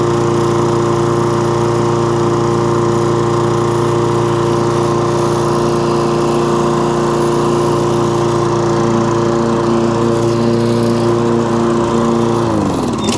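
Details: Toro Recycler mower with an intermittent cut-out fault, likely fuel, after clearing debris from the carburetor main jet: a steady, even engine drone at constant speed with no surging or cutting out until shut off; believed fixed, pending a longer test.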